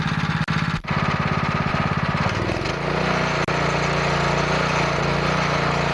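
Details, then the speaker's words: Small single-cylinder pressure washer engine run with the Comet LWD-K 3020 pump removed; catches and settles into a fast, even beat with steady pitch and no misses; engine healthy, pump defective. "well that's awesome that motor runs really really good"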